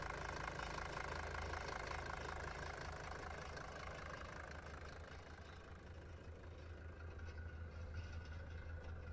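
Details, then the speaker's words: Mercedes 240D diesel off the road for 5-6 years, started at a junkyard: a steady, even diesel clatter at a slow idle, about two and a half beats a second, with no misses or knocks; a smooth, healthy idle with little blow-by. "Check this thing out. It's running pretty dang smooth."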